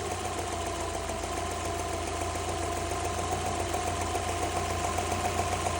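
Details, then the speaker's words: Subaru 2.0 petrol with a knock from cylinder 4, starter side, only when hot, still present after new timing belt kit and idler: steady idle with regular knock about three or four a second over a low hum; engine knock at idle, cause unknown. "Значит, стучит мотор четвёртый цилиндр. Так, стучит немножко."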